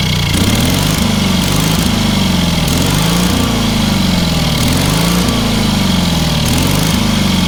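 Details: Engine on a free, long-neglected trailer-mounted man lift (cherry picker), pressure-lubricated with quite a bit of water in the oil and a corroded intake, throttle half open; single-cylinder runs steady at fast idle, firing evenly, slight speed wander; healthy, runs amazingly well.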